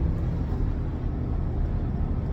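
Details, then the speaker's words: 2008 Chrysler Sebring AWD on the road after replacing both worn rear wheel hub bearings that had caused grinding and road noise: only a soft, steady low rumble, no growl, hum or grinding with speed; near silent, bearings healthy. "it's damn near silent like it's it's so quiet and the car rolls so smoothly now"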